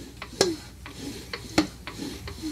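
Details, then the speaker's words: 1960s Sears tractor engine spun over during a spark test after points ignition work, giving sharp, uneven ticks about every half second. The owner suspects a piston or wrist pin problem, unconfirmed. "only thing I don't like is that sound I hear the Piston it could be we could have a problem with this piston it could be the wrist pin"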